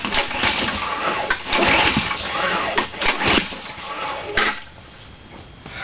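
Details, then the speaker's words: Lawnmower that won't start; owner suspects water got in or a bad spark plug. Repeated rattling pull-starts with an occasional sharp pop that never catches; cranks but won't start, cause unconfirmed. "We almost got it. Hear that spark plug? Pop. Shit. Could be a bad spark plug even."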